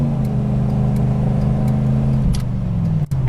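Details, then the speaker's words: 5.8 V8 with about 167,282 miles under hard acceleration on a city test drive: a deep note winds up strongly and evenly with no smoke, hesitation, misfire or knock; healthy, normal acceleration. "you can hear that motor wind up really good. It's a really strong 5.8. There's no smoke and no hesitation."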